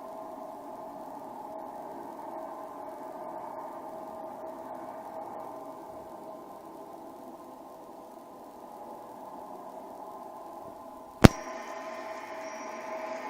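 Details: Recorded while passing through a transit tunnel: a faint, steady high ringing tone over a low tunnel rumble, ending with a single sharp click. The source is unknown to the recorder.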